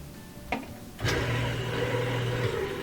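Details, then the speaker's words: Kenmore/Whirlpool direct drive washer: after a clack the motor hums steadily with light irregular clicking but no spin or agitation. Cause is a broken motor coupler, to be replaced. "We can hear the motor, kind of a clicking sound, but no spin, no agitation. So this is due to a broken motor coupler."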